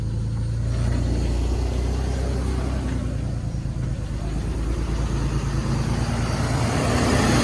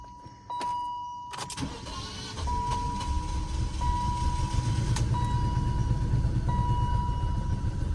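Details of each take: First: 2002 BMW 530i E39 after PCV system and coolant hose replacement, idling a little after a rough restart and warming up: an even, low rumble with a steady pulse and no knocks or misses; it sounds good. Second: 2002 BMW 530i E39, just restarted after PCV system and coolant hose replacement: it cranks, catches and settles into a lumpy, uneven low rumble with a steady chime above; it runs rough at first.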